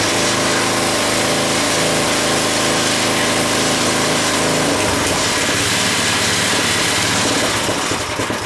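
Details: Craftsman tiller after replacing the bad diaphragm/fuel pump that stopped it running. The small engine runs at a steady fast buzz, then settles to a lower, rougher note without sputtering; normal running, adjustment still to be checked.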